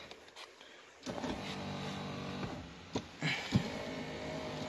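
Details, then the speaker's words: 2002 GMC Sierra pickup, 221,000 miles, power seat: brief clicks, then a thin electric motor whir. Only one side of the seat motor drives and the seat doesn't budge, then it goes up. Unplugging and replugging the module wire didn't fix it. "you can hear one side moving like that but it's only this side of the motor that's moving if you click it so many times but as you can see the seat did not budge now it'll go up"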